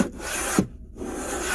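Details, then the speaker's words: 2018 Chevy Silverado on test drive: dry rasping scrape in short bursts with squeaks when braking, mistaken for brake noise; seat belt sliding against trim by the seat, gone once belt folded away; brake control module recall already done. "so what you're hearing liam is right here by the seat that little grinding sound right it happens to be this seat belt right here"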